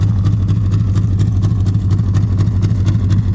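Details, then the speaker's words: 1951 Studebaker, engine recently freed from being stuck, leaking carburetor, unshielded plug wires, idled up: lumpy idle stumbling about twice a second with a low rumble; misfire, owner suspects burnt valves. "So I just gotta be camming it because it's got burnt valves and it's missing."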